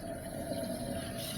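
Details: Toilet after replacing worn fill valve with a Fluidmaster Performax, supply valve fully open: strong, steady rush of water fills the tank evenly without whistling or sputtering; normal fill valve refill, slight water hammer remains.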